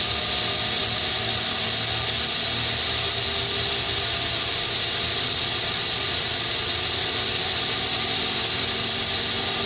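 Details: FH680 machine spindle after cable replacement: steady loud high hiss with thin squeal over machine hum; owner suspects a rear bearing, unconfirmed.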